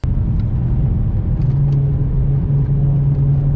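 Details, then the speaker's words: BMW E92 M3 after seven years of ownership, front-end rumble during a Nürburgring trip: deep steady growl with a low droning hum under road noise, no knocking, worse when turning; owner suspects worn front wheel bearings. "That is quite grumpy, isn't it? Is it getting worse though? It sounds the same to me."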